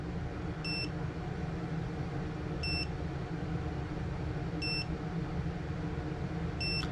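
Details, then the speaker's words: ViFly Finder Mini lost-model buzzer after the main battery is unplugged: short high beeps about every two seconds over a low rumble, its quieter first 40-second stage before max volume; lost-model buzzer beeping. "i already hear the buzz the beeper so that's for the first 40 seconds"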